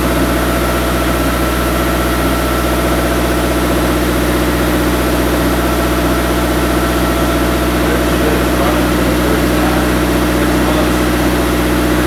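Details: Turbocharged engine idling after a five-month winter build, before a clutch and shift test: smooth, even idle with a steady low drone, no knocks, ticks or misses; sounds healthy.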